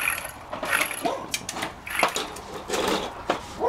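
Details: Steering knuckle removed from a 1998 VW Jetta TDI, front wheel bearing turned by hand: uneven gritty scraping and clicking from a worn, rough bearing.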